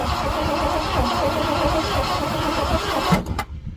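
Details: 1967 Ford Galaxie stored 35 years: starter spins the engine steadily at about four turns a second for three seconds but it never fires. No spark at the plug or coil wire; points suspected, then replaced. Cranks but no start.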